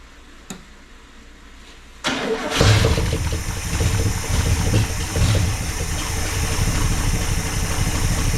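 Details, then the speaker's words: 1974 International pickup, sat for a couple of years, with a blown muffler, an iffy transmission and a likely gunked carburetor: it catches and settles into an uneven, lumpy idle; rough running after long storage. "she's carburetor carburetor is probably a little gunked up still and it's real gross"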